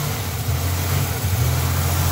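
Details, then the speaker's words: 1987 Buick Grand National, sat over 10 years, first start after fuel tank and lines work: uneven hunting idle that stumbles off idle and dies popping; rough idle, owner suspects a vacuum leak or fuel pressure, unconfirmed. "Off idle. Doesn't like off idle. There's a vacuum leak somewhere. Dies popping."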